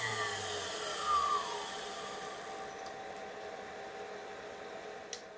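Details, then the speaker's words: CNC spindle running after the VFD's built-in fan, compared with the old router: smooth even high-pitched whine over a soft hum, no rattle or grinding, measured 62 dB, less harsh than the router; normal spindle running. "now we'll start the spindle and that certainly sounds a lot quieter that's a 62 DB the sound definitely is not as harsh as the router"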